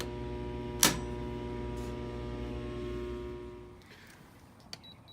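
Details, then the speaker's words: LG PTAC air conditioner after replacing a noisy blower fan whose wheel made contact, plus a bad heating coil: smooth, steady low hum with no rubbing or scraping, quiet and blowing warm air; repair successful. "all right and it's blowing it's nice and quiet it's not making contact and I feel warm air coming out"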